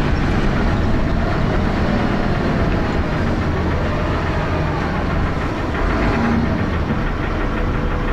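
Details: Dennis Arrow bus P423PVW, recorded on a phone: heavy diesel clatter with a steady knock under loud thrash at constant speed; knocking noise, cause not pinned down.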